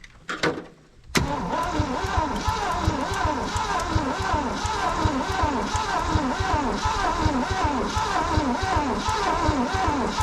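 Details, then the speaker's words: 1967 Ford truck V8 sitting over 20 years, plugs back in, first cranking attempt: steady cranking without starting, slightly lumpy rhythm as a couple of cylinders are down on compression, with snapping noises of plugs firing. "i should hear eight even compression strokes and i shouldn't hear a speed up or a skip if i hear a speed up or a skip whatever the skip is is a cylinder that doesn't have any compression and that's not good"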